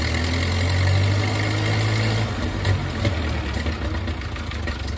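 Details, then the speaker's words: 1931 Ford Model A, long stored in a barn, idling after points and timing set with a modern distributor cap; low lumpy uneven idle about three beats per second; rough idle, owner thinks timing needs advancing; bubbles seen blowing past a spark plug. "it's all pretty good so I'm thinking I need to advance it"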